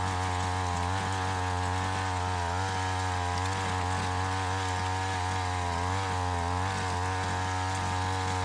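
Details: Curb-found Mantis-style tiller with a Tecumseh two-stroke, warm restart without choke in gravel: it buzzes steadily with an even, unbroken exhaust note and no stumbling, settling into a clean normal run.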